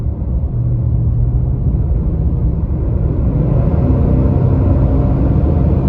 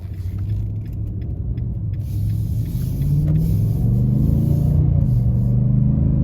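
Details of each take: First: 2022 Nissan Titan while driving: a heavy, steady jet-like roar that never eases, through all gears and RPMs and still at idle. The viscous fan clutch is stuck locked and the fan runs flat out. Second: 2022 Nissan Titan V8 at idle, fan clutch not stuck: deep, even exhaust rumble with no fan roar, the normal sound; a faint grinding heard earlier was attributed to the A/C compressor.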